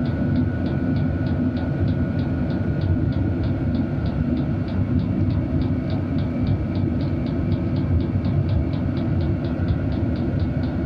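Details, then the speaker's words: Cheap Chinese diesel air heater turned down to low: even fan rush with a slow, regular fuel pump click about three times a second, pump audibly slowed; normal running at low setting. "okay so I can hear sounds like the fuel pump is going quicker we turn it down it's definitely slowed"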